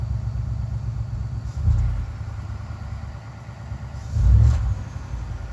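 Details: 1967 Mercury Park Lane 410 Ford FE V8, cold start jumped from truck after timing retarded; sluggish cranking with two brief catches then dies; battery toast, possibly inconsistent spark, no sustained start.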